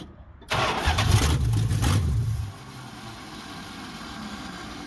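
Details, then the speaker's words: 1969 Chrysler 300 with a 440 test-mule engine on first start: it cranks, catches, runs rough about two seconds, then dies as the key is released; owner suspects a failed ballast resistor. "And you saw it just start running and then I was about to praise it, then it just shut off."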